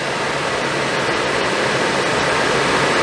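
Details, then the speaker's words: Suburban RV propane furnace, bench-tested out of the RV after reassembly over a suspected failing fan motor, fires up: steady, even air rush and burner roar with no rubbing, scraping or ticking, normal operation. "See if it sounds better. Can't sound any worse, I don't believe. Sounds a lot better. See fires up."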